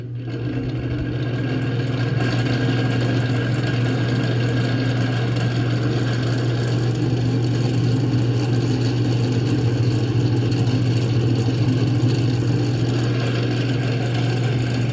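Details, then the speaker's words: Antique Manning Bowman table fan, before oiling with 3-in-One: steady low drone with resonant hum, no speed change; much resonance from dry front motor bearing, motor may need internal cleaning. "sounds like a lot of the den a lot of the den a lot of the resonation is coming from the front bearing of the motor"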